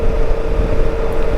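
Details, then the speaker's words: Honda Africa Twin DCT motorcycle, about 6,000 miles, new Motoz Tractionator knobby tires (RallZ rear, Desert H/T front), riding at higher cruising speed; loud steady mid-pitched humming drone over road rumble: normal knobby tire hum. "It is loud though. You can hear them that humming noise."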